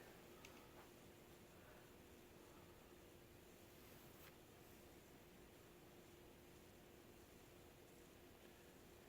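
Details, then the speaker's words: Moss TF Series ceiling fan (New Fan N-101 C) on a solid state variable speed control: very faint steady low motor hum, quieter than the lights, living-room quiet; normal. "Well, it's very faint. I hear the lights more than this Yeah. fan. Well, that's still not a harsh. No. Would you call it living room quiet? Yes. Yeah, that's quiet enough."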